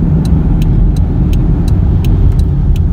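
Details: Car driving with droning roar and light regular ticking, louder on turns; front wheel bearings replaced but noise remained; suspected unbalanced or uneven front tire, unconfirmed.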